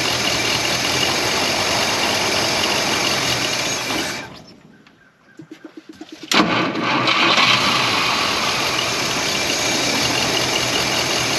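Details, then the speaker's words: 1953 Packard Cavalier after fuel pickup unclog, rebuilt water pump, fuel pump and carb: engine runs on a manually held throttle, sags and nearly stalls around four seconds, chugs, then picks back up; it can't hold idle on its own. "well water we should just have to idle it just a touch here manually until we get something down on the ball nothing yet"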